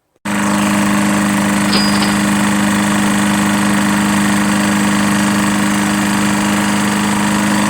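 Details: Lawn-Boy Insight 10682 mower, Tecumseh 6.5 engine, after draining water-contaminated fuel from the tank and running very low on oil: starts and holds a steady, even drone with no surging or stalling, running properly.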